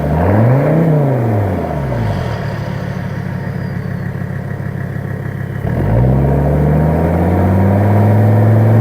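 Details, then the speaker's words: 1984 Mercedes-Benz 300TD, recorded at the exhaust, straight-piped right off the turbo with no cats, mufflers or resonators: loud rev climbs and falls cleanly, then settles to a steady even idle clatter, no smoke, running normally. "She sounds pretty good, and she's not smoking. No smoke comes out of that, and that is completely straight pipe right off the turbo."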